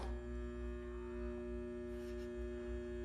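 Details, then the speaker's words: Bathroom exhaust fan in an old house with 50–60-year-old windows gives a steady low electrical buzz but no airflow or blade sound; the motor is energised but not turning. Walls bulging, possibly from poor ventilation and moisture. "okay well I don't think the fan works I hear the buzzing but it's it's not doing anything"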